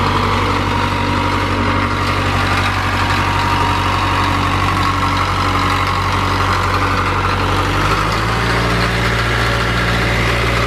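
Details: 1978 Caterpillar D3 bulldozer diesel with glow plugs, just started after sitting: steady low chug with an even beat, settling slightly lower after a few seconds; normal idle.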